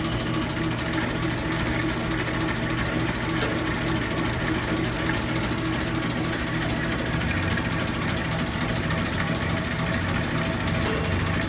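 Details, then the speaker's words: Bowser Century clockface gas pump, nozzle in filler pipe to bottom tank, pumping antifreeze: steady, even motor hum with light mechanical whir while fluid flows; pump running smoothly and healthy. "now I'm going to turn the pump on so we'll idle without pumping here the pump running now that triggered the nozzle"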